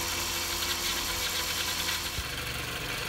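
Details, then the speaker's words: 2005 Toyota RAV4 after power steering leak repair and refill with fresh ATF, run about eight minutes with no leaks: steady, even idle with light hiss and no pump whine or groan. "now that sounds better I've ran this for about eight minutes now and I see no leaks sweet we're in business"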